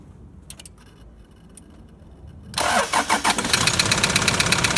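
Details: Toyota Land Cruiser LC120 diesel, ruined engine: cranks and catches, then a loud, fast, even tapping over the idle. Suspected piston damage, and not a cracked, holed piston.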